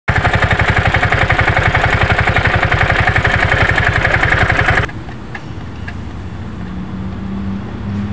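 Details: Piaggio Ape City 230cc single-cylinder: steady clatter about four times a second over the engine beat before it drops away; loose blower cooling fan bolt rattling.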